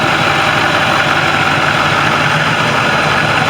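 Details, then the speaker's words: 2013 International shuttle bus with brand-new replacement diesel engine, hood open, steady even idle, smooth low rumble with some fan hiss, no knocks or misses; healthy engine. "I want you to listen to this engine. For all of y'all that maybe don't know about these Macs, this is a brand new engine."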